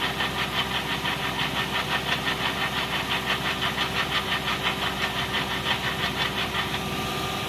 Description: Fan Pulley Bracket or Accessory Belt Idler Assy. Toyota and Lexus V8 Engines.